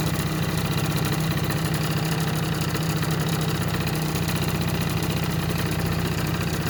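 Steady buzzing two-stroke idle that holds an even beat without stumbling or dying; the scooter runs properly.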